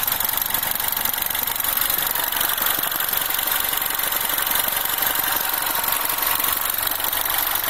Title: R56 Mini - Warmed Up - Timing Chain Noise